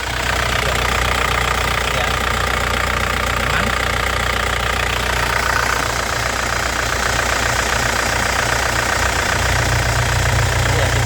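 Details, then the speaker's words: 2012 Isuzu Panther GT diesel, 120,000 km, engine still cold: even diesel clatter as revs rise, stable, no misfire, knocks or metallic banging, no smoke; engine healthy. "jadi mesinnya ini dari getaran dia stabil tidak pincang suaranya juga renyah KH penter tidak ada suara aneh-aneh atau besi bertumbukan ya jadi aman mesinnya jadi suara bagus"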